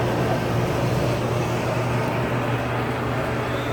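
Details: Kenmore 80 Series electric dryer after motor replacement, with no heat: a steady, even low hum with smooth drum rumble and no thumps, squeals or scraping. The belt is straight and it runs normally.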